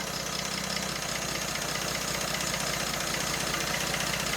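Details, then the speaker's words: British Leyland Princess 2200 automatic running after a revival with fresh oil and fuel, smoky from the added oil; carburetors possibly not balanced. Steady, even idle with a constant hiss and no misses or knocks. Normal idle. "but it's it's running [Music] and it's really smooth really really smooth"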